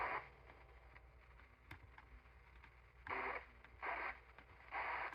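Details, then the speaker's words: Cobra 29 CB radio, off frequency (channel 19 reading 18) and intermittently not receiving: bursts of hiss cut in and out as the receive section board is tapped with a plastic pen; bad cold solder joint, fixed by resoldering. "let me turn it up I circled it right here I do believe we have ourselves a bad solder joint right here"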